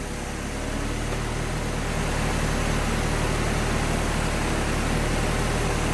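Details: Project car warming up after a coolant leak repair, heat-cycling to burp the radiator, with a sensor indicating more antifreeze is needed: steady low idle with an even beat and no ticking, misfire or rough patches; normal warm-up.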